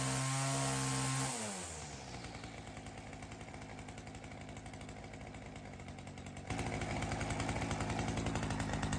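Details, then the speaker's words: Ryobi CS30 two-stroke string trimmer with newly fitted aftermarket HiPA carburetor after tuning: revs down from high, holds a steady low idle, small rise; throaty, consistent, much healthier than the previous cheap carb. Normal running. "Well, that sounded awesome. I didn't realize how bad that other carburetor made the engine sound. That has a lot of throat to it."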